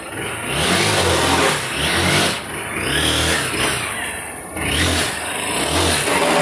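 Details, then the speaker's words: Honda XRE 190 motorcycle with intermittent strange engine noise: revving and settling with a rough whirring that comes and goes with revs; mechanic suspects the clutch primary shaft bearing, unconfirmed until opened. "aí o barulho, galera. Voltou o barulho de novo. Olha aí o barulho. Então tudo indica que vai ser o eixo primário aí."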